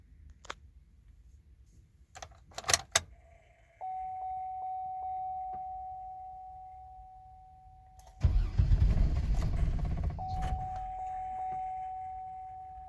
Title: No start